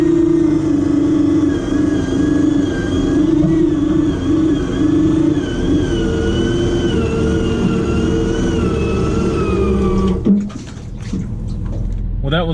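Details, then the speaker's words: 12-volt winch motor run on 24 volts, loaded uphill pull: strong even motor whine and steady gear tone holding pitch about ten seconds, then stopping; pulls hard and healthy. "the winch mode actually just sounds a lot more healthier on 24 volt like just sounds like it's got more life in it it pulls a lot harder"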